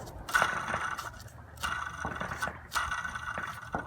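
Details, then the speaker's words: Belt removed, idler pulley spun by hand: gritty, scraping rasp in short bursts from a dry, rough bearing causing belt squeak; fixed by replacing the pulley (13 mm bolt, about 20 ft-lb). "now it could be any of these idlers or pulleys that's making the squeaking sound so let me show you what it sounds like when it's bad"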